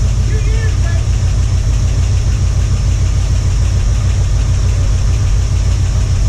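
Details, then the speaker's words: 1978 Ford Bronco V8 after about two years unrun: deep, steady idle with no stumbling or knocking. Owner says the earlier clatter is gone. Running normally. "it doesn't sound like it clatters anymore either i think it may have built back up over"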